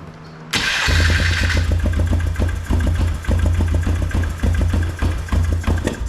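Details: 2005 Polaris Trail Boss 330 that hasn't run in years, just restarted with air filter and airbox cover back on after contact cleaner was sprayed at a suspected intake air leak: quick, lumpy idle, higher than normal; fast idle from the intake air leak.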